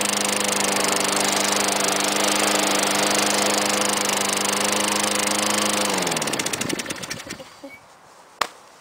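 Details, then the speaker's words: 2001 Lawnboy 10360C mower, Tecumseh 5 hp four-stroke, little used, cold start on a 15 °C day: single-cylinder engine holds a steady, even drone, then winds down smoothly to a stop; healthy, no knocks or misses. "nothing seems to be wrong with my tumpies they start great"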